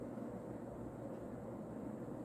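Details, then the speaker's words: Vintage, probably early-to-mid-80s Union 'Super-36' 36" spinner ceiling fan, model 4CLW-3SPC, rebalanced after bent blades, on high: quiet steady airy whoosh with a faint even motor hum, no wobble or ticking; runs smoothly and moves a lot of air. "so yeah it's a very nice runner a little bit of motor noise moves a lot of air"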